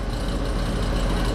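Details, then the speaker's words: AC condenser unit powered at 244 volts; the running compressor makes a heavy, coarse rumble with a rocks-in-a-can rattle. The system is bone dry with no refrigerant. "o it sounds like it's bone dry too that compressor does not sound good I don't know if y'all can hear that sounds like rocks in a"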